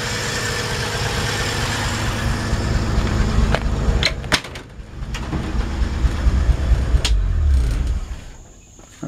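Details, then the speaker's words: 1955 Chevrolet 3100 short bed pickup, mechanically sorted by a speed-shop mechanic, hood open, no exhaust smoke: old six at a steady even idle with a soft regular exhaust beat, no knocks or misses; normal healthy idle. "hello put it for the exhaust back there no smoke just want to show you that engine runs good"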